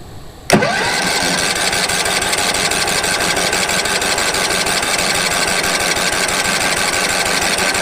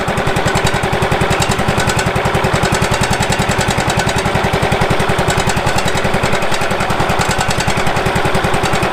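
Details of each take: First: Late-1990s Wood-Mizer LT15 sawmill engine, sat for years, after oil change, new battery, air filter; cold start on choke: sharp clunk then even rapid cranking chatter, no firing; owner suspects fuel not yet reached engine: cranks but won't start. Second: Late-1990s Wood-Mizer LT15 sawmill engine, long-stored, after maintenance and a hand-tightened fitting/washer of uncertain condition: steady even thumping about 160 per minute, no misses or knocks: normal running.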